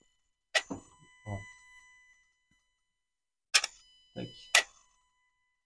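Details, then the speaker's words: Renault Clio TCe 0.9L motorized throttle body commanded by diagnostic tool: two sharp clicks with short buzzing whirs, no grinding or sticking; moves correctly and position voltage varies, all good. "Tu vois, on entend qu'il bouge correctement. La tension, la valeur, elle varie également. Et donc là, en fait, on est tout bon."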